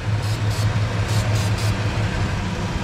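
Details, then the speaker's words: 2003 Ford Ranger 3.0 V6 with code P0443 (EVAP purge valve): carb cleaner sprayed on the vacuum hoses and PCV valve, idle stays even through the hissing sprays; no vacuum leak, normal idle. "well not looking like i have a vacuum leak hmm so i'm not seeing any vacuum leak"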